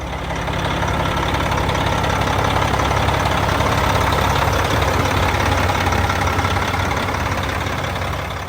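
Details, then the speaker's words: Diesel idling smoothly right after belt reinstalled on new belt tensioner, before warm-up; steady low beat, no knocks, squeals or belt chirp. Normal idle. "Well, as of right now, it looks like everything is working perfect. But I'm going to let it sit here and run. I'm going to let it warm up."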